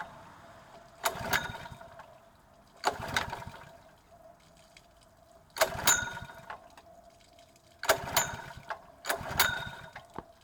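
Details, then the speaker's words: Honda GX120-powered water pump, fueled and water connected, brought in for carburetor cleaning: five separate recoil pulls, each a brief rattling spin that dies without firing; no start because the engine switch was left off. "if you turn it on dum-dum"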